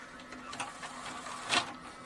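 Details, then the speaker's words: Xbox 360 disc drive after cleaning hardened grease from the tray gears and relubricating, bench-tested: soft tray clunk, light clicks and quiet whir as the laser starts reading; drive working properly after repair. "Laser bật và hoạt động của laser bắt đầu nên ổ đĩa đang hoạt động thành công, hãy bật và tắt một vài lần nữa để kiểm tra hoạt động của nó"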